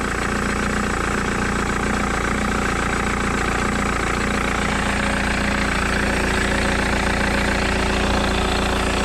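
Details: 2009 Mercedes-Benz W204 C200 petrol just after a new thermostat fitted for failing to reach temperature; steady, even idle with a smooth low hum and no knocks, ticks or hunting, checked for cooling leaks; running normally.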